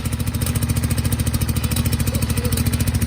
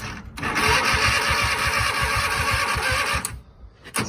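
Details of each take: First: Garden tractor Kohler V-twin that sat about a year, fuel flushed, borrowed starter, jumped from a 1000 CCA battery: a steady, even thump at about 3.5 beats a second with no misses. Normal running. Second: Craftsman hydrostatic garden tractor, Kohler V-twin sat about a year, new plugs, choke on, some throttle: slow, uneven chuffing for about three seconds as it tries to catch, then drops away; a reluctant, hard start.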